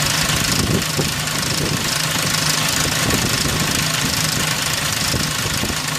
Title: 2003 Ford Ranger 4.0 Timing chain noise